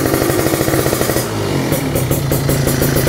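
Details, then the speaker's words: Kawasaki Ninja two-stroke started after two months unused, Nibi Racing carburetor: rough burbling idle picking up into a short crisp rev and settling back; revved to keep the spark plug from getting wet; fires and revs cleanly. "Ninja gue berani untuk ngeblayer-blayer limit karena suaranya nggak begitu berisik. Kenapa harus di-blayer? Ya supaya di bagian apa namanya, businya itu nggak basah guys."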